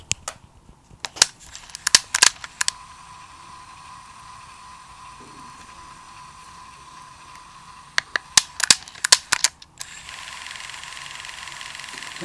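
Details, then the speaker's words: Sony Walkman WM-EX610 cassette player, working after its corroded battery contacts were scrubbed with isopropyl alcohol and a toothbrush, mic removed to let it be heard: button clicks then a faint, steady motor whir with no drag or warble; mechanism running normally. "Excellent, so a few minutes later and a bit more of a scrub with isopropyl alcohol and a toothbrush on those battery contacts, and look what's happening."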